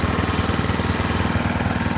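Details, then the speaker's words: Leaf vacuum's small single-cylinder engine after replacing the gunked carburetor with broken gaskets and the fuel-intake rubber O-ring: fires fast and evenly with a steady regular beat, no misses, surging or knocks; running normally. "she is running good job"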